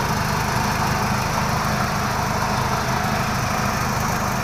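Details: H-20 series forklift that starts hard, won't start without pressing the gas pedal: steady, slightly uneven low idle with rough pulse; cause not confirmed.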